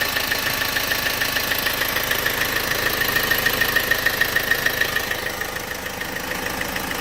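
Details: Opel/Vauxhall 1.6 CDTi diesel at idle: fast, very even light tick over the clatter, about three per second, steady throughout; source not pinned down.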